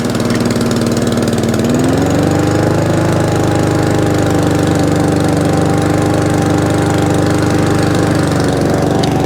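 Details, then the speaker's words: Job-lot mower reported as over-revving, loose airbox refitted (blown-off airbox a sign of over-revving), started on choke, drive working: jumps up after a couple of seconds and holds a high, steady buzz without settling, no throttle control; carburettor clean and setting planned. "That is a sign of it over revving when the airboxes are loose on these. They blow the airbox off."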